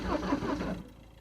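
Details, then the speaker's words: Citroën C5 diesel being jump-started at −11 °C after sitting for months, glow plug condition uncertain, in neutral with the handbrake on: brief, labored cranking that dies away without catching; slow crank, no start, cause unconfirmed. "almost. Don't crank it too long. You could burn the starter."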